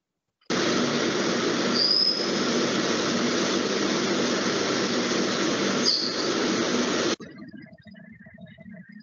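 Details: Milling cut with the cutter held in a side-screw (lateral set-screw) toolholder: a steady, harsh cutting hiss with a couple of brief squeals, even throughout, then stopping; this holding suits milling despite high runout.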